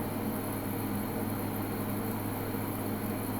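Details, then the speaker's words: Midea U window AC, 8000 BTU, at 108°F outside with the compressor on and power climbing past 500 W: steady hum, fan rush and low drone, louder than in cooler weather; working hard but normal. "It is actually quite a bit louder than it is when it's cooler outside, so I think it's definitely working harder."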